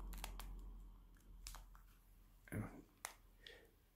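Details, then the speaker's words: LG B8 OLED TV remote creaking in a quiet room: short, dry plastic creaks and crackles when the back is gripped while pressing buttons, appearing after a few weeks of use. "but after a few weeks of use, it has now seemed to have gained an annoying creak."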